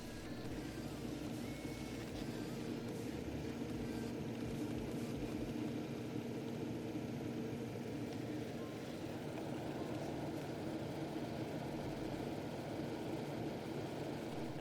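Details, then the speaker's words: Desktop PC before quieting modifications: a steady, constant whooshing hum with a low drone underneath and no speed change. The cooling fans are loud enough to drown out the camera's clicking. "that's because the sound of the computer was simply overpowering the sound of the camera if that just goes to show you how loud exactly the computer used to be versus how loud it is now"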